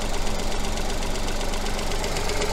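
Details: Engine with coil-on-plug ignition, at idle during an oscilloscope coil check with a coin on the coil. Low, steady idle rumble with an even beat and no skips or dropped cylinders. Normal idle.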